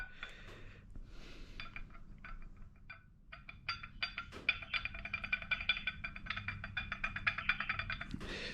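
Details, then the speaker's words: Older MG right-hand rear half shaft and hub, off the car during a drum-to-disc conversion: sharp light clicks in quick bursts when rocked, from worn half shaft-to-hub splines. "So if I can just show you now, you can hear a little clicking noise. There's some wear in it."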